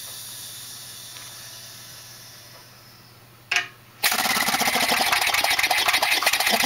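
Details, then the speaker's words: Regular lawnmower engine converted to run on compressed air, camshaft modified to eliminate compression. Quiet air hiss, then it catches into a fast, fairly even chuff of exhaust puffs. Running normally on compressed air. "all I had to do is modify the cam shaft so that it eliminates compression otherwise it would just stall so and this is just regular old lawnmower engine"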